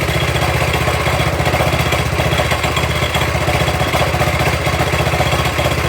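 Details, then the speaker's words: Honda GX200 on a Toro SG-6 stump grinder, after carb work and an idle stop screw turned 1/4 to the right: steady, even four-stroke putter at idle with no stumbling. "And now I'll let you listen to it at idle, and it sounds okay."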